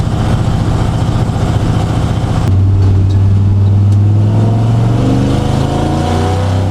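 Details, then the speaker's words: Truck project with fuel pump hard-mounted under the frame: steady low drone not following rising revs, pump noise transmitted through the frame; owner plans to space it out with rubber to dampen it. "also you can hear the fuel pump that needs to get fixed I need to space out and put a piece of rubber in between the two so it dampens the sound it's hard man under the frame"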